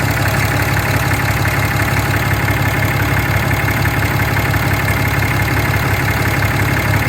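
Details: 6.7 Cummins diesel idling; a fast, even light tick about three per second riding on top, heard near the EGR, with the source unconfirmed.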